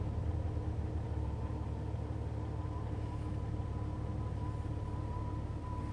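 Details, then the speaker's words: Jeep with radio off: low steady rumble with a thin wavering whistle on top throughout; odd warbling noise of unclear source. "My Jeep's making a weird noise. Sounds like it's trying to connect, like, contact alien life forms or"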